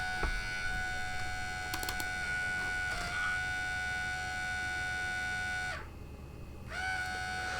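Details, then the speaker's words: Compaq Armada 4120T laptop floppy disk drive: steady thin motor whine with scattered light ticks and a brief dropout as the motor spins but the perished drive belt slips; belt change needed. "because i really don't think he should be making that noise i think the belt's gone"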